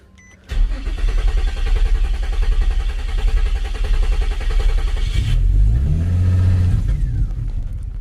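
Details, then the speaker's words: 2006 Infiniti G35 coupe, failed at several mechanics, after fitting OEM throttle body but wrong part installed as crankshaft sensor (crank code). Engine cranks, catches, runs roughly about five seconds, then stumbles and dies; won't idle. Stalling after start from wrong crankshaft position sensor. "It does look like that made a difference. Normally when you do have a crankshaft code, your car should turn off like how you see here."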